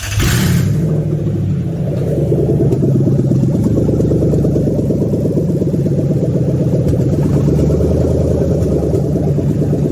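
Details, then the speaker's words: Toyota 3UZ V8 on a test stand, ECU flashed for manual, being swapped into an IS300, no radiator fitted: fuel primes, short crank, then catches and settles into a smooth, even idle with no knocks or misses; healthy. "Yeah, let's give her a test run. It's going to prime the fuel slightly, ignition start."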